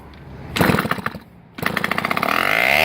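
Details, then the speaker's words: MB5 two-stroke bike, previously seized, freed with penetrating oil and compression restored: popping bursts, a pause, then a rising buzzy run that climbs steadily. This is its first start, run only briefly to avoid burning it up. "yeah that is a first start for this bike and the compression is back up there"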